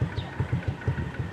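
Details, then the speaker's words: Honda XRM 125 (RS) single-cylinder after valve clearance set to 0.05 mm: low lumpy idle with soft knocks every few tenths of a second, no valve tick; remaining knock attributed to small primary/secondary clutch gear. "Yung lagutok na lang yan doon yan sa ano sa may primary sa secondary clutch yung maliit na gear. Kailangan mapihit yun"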